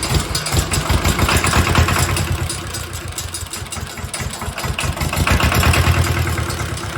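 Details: Mitsubishi D1800 II diesel after cylinder head replacement, valve lash at 0.015 in, about half/part throttle with exhaust stack and muffler fitted: steady diesel clatter, even pulses, muffled exhaust, no knocks or misses; normal running.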